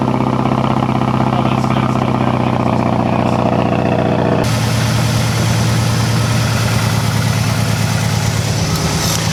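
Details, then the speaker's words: 2006 Mazdaspeed 6 started after a spark plug replacement: lumpy, uneven idle with skipped beats. The misfire persists, and a bad coil pack is suspected of also having ruined the plug. "we're still having the same problem. I mean, the only thing I can think of is it's the coil pack, you know?"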